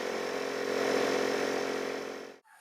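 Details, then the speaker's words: Porter Cable 150 PSI air compressor, about 15 years old, bleeder once replaced, kicks back on while filling a tire because tank pressure dropped; steady motor buzz with rapid pumping flutter, cutting off cleanly. Normal compressor run refilling tank. "you heard while I was filling the tire, the compressor kicked back on. That's because it fell below a certain PSI in the tank."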